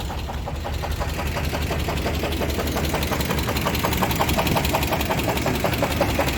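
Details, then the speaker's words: 1998 Chevrolet Sierra 350 V8 idling after cooling down, having spun rod bearings climbing White Bird grade in Idaho; sharp regular knock keeping time with engine speed, almost lifter-like; oil pan teardown found one rod bearing burned blue and another totally loose. "I kind of want to see if the knock has gone away because it's cooled down again, but either way it's probably gonna make some sort of noise, so we'll see what it sounds like here."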